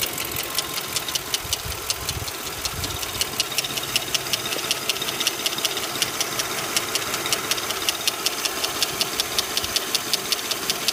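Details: Lincoln Town Car at idle: fast, even metallic top-end ticking that keeps pace with the engine; owner suspects a valve lifter, cause not confirmed.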